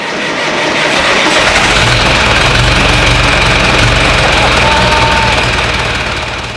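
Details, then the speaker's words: John Deere tractor diesel with CAV injection pump, first start after fuel filter replacement and bleeding air from the pump and injector lines. Steady, even diesel clatter at a settled idle with no misfire; running healthy. "Folks, hearing Betsy run again is like listening to beautiful music. Makes me so happy."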